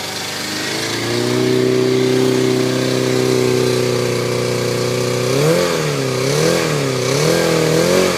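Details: Yamaha FZR250R, first start after a top-end rebuild (new piston rings, valve clearances set, helicoils for head studs): crisp, even exhaust note, steady fast idle, smooth throttle blips; normal running.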